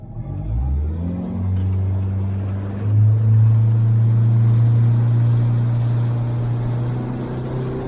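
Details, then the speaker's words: Outboard boat engine labouring with trim set too far in (not trimmed out): low, heavy drone that climbs slowly and stays bogged at one pitch as the hull drags, wasting fuel. "And that's exactly what your boat's doing when your trim's not trimmed out properly."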